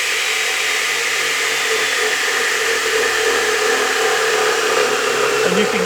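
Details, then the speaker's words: Radial arm saw running with no load, then spinning down: steady high whirring hum with a rough, uneven undertone and slight vibration as the blade slows; worn motor bearings. "However, the bearings in this saw are in rough shape."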